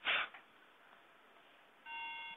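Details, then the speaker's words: Late-2009 MacBook just upgraded from 2 GB to 8 GB RAM, powered on: brief clatter then a clear half-second beep instead of booting, RAM not recognized; cause not yet found. "And we have a problem because it's just beeping. Uh for some reason it's not uh taking the RAM."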